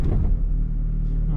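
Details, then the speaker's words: Car in neutral idle after clutch kit replacement (noise was a bearing, clutch not worn), CV boots and a broken housing also replaced: low steady idle rumble, even beat, no whine or rattle; noise gone. "Não tem mais aquele barulho."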